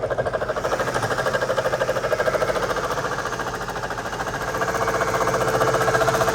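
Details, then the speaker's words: Mercedes SL500 (2003) running: fast even clatter about eight beats a second at front driver's side of engine bay, from pulley area; suspected failing ABC suspension pump, not the engine, unverified. "definitely coming from this area it's coming from the front and it's coming from the driver's side it might be what it is might be what it is that ABC pump sounds horrible"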